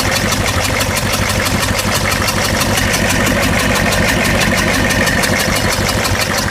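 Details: 6.5 diesel idling with a rough, uneven chuff about three times a second, one cylinder dropping out of the beat: misfire at idle.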